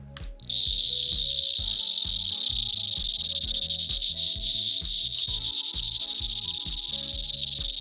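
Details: Amptron PM-9600 Socket 7 motherboard (ALi M1531 TX chipset) at power-up, microphone close to board speaker: erratic stuttering buzz and crackle, not a beep code; CMOS clear jumper left in clear position.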